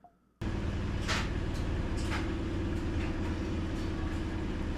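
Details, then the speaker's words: Whirlpool top-load washer after the fix with a stretched spring and good shift actuator: a steady, even low hum with no clicking from the machine; any clicking heard is another dryer running in the background. "It it is fixed and it's no longer clicking. That clicking you hear is another dryer running in the background."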